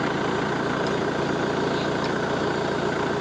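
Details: Mahindra 415 DI Bhoomiputra diesel tractor after freeing a jammed clutch plate that stopped gears engaging: even steady idle, smooth firing, no knocks, rattles or grinding; gears now shift easily, engine running normally.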